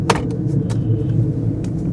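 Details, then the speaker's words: 1996 Jaguar XJ6 X300 abandoned outside five years, driving under 40 km/h: loud droning growl from under the car, steady with road speed; badly worn, very noisy rear differential. "I have to shout over this diff. He says, "You're not You wouldn't make it." I understand why. Yeah, I have not been above 40 km an hour. It is quite noisy."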